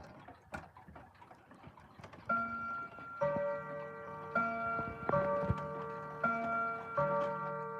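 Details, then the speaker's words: Antique clock running normally with a healthy, soft, even escapement tick and ringing chime tones; minute arbor still somewhat stiff, chime count off, slight grinding when chiming. "It absolutely fascinates me that this thing still runs perfectly fine. Despite, of course, that little counting thing, which I find hilarious. But, I find it funny that it runs virtually perfectly. It's got a healthy tick now, too."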